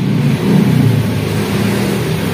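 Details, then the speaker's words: Honda Scoopy ESP fuel-injected scooter, hard to start, battery dead and a borrowed one fitted: idle surges up and down, revs rise and sag without clean pickup, throttle response very late; weak fuel pressure from the fuel pump. "ya lah ini ya stasionernya naik turun mesinnya ya di sini untuk tekanannya lemah"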